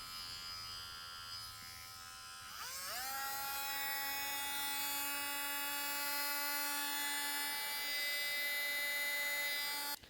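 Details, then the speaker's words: Ryobi 4V USB lithium cordless rotary tool (FVM51K), new, running free with the polishing adapter fitted. A smooth, steady high whine spins up within a second and holds even pitch with no rattle or wobble; runs healthy. "I mean, nothing real out of the ordinary, definitely decent airflow through these vents in the side."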